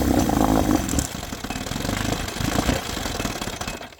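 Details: 1972 Johnson 9.5 outboard, roadside find being revived, running an oil-heavy two-stroke mix: rough, choppy running with uneven beats and dropouts; misfiring, owner says it seems to fire early, cause not yet clear.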